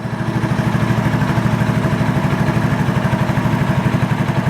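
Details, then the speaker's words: 1986 Honda TRX125 FourTrax ATV after throttle cable adjusted for free play: even single-cylinder thump about three beats a second, steady settled idle with a little smoke; suspected wrong-size pilot jet, ignition switch still to be replaced. "It's probably got the wrong size pilot jet in there, but it is running idling. A little bit of smoky smoke coming out, but hey, whatever. But it is idling and running."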